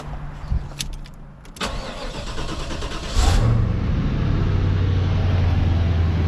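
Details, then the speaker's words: LT1 Caprice 9C1 V8 after water pump and stock Optispark replacement and radiator hoses: short crank, catches about three seconds, steady even idle; earlier hesitation and skipping misses now gone, normal start. "I mean that's running I don't think it's got any more misses to it it was like hesitating before like skipping around"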